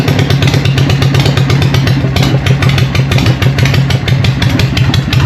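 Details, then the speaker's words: Harley Evo V-twin chopper, first start after an eight-month rebuild, choke on and in neutral: loud, lumpy potato-potato idle at roughly three beats a second, firing steadily with no knocks. Normal healthy idle, praised as sounding good but very loud. "How good does that sound? What do you reckon, John? What? Fucking loud."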